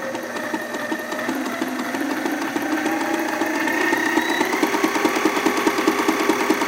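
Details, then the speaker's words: Sailrite LSZ-1 sewing machine with new WorkerB motor, not yet broken in, at full speed with pedal partly pressed: even stitching clatter about two beats a second, picking up smoothly as pedal is pressed further; runs clean and healthy. "Right now, I said it's at full speed. You don't have to step on it all the way."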